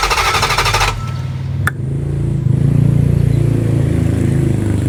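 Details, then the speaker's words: 2005 Dodge Durango bank repo with gasoline squirted into the throttle body, fuel pressure present: steady starter chug about three beats a second, never fires; crank no start, fuel ruled out, no spark, coil and plugs next. "like she didn't start did she so anyway the problem here would not be the fuel because the fuel is getting pressure so now we're off to check the ignition"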